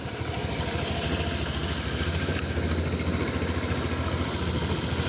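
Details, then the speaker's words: Honda PCX150 150cc scooter, stock except an aftermarket Dr. Pulley variator, at start-up. Soft, even putter at a steady idle of about three and a half beats a second with no knocks or misses: a healthy idle. "so anyway let's start them [Music] up putter putter"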